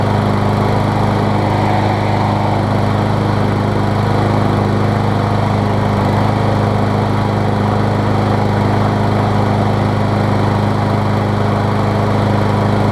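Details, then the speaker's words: MTD mower engine on Troy-Bilt deck after bent blade and sheared flywheel key, crankshaft bent: steady even single-cylinder drone, vibration now barely noticeable, about 90–95% smooth; normal running. "It runs. You can barely tell it's vibrating anymore. It was really bad, and now it's probably 90 to 95% there, which is totally acceptable for a mower of this condition and price range."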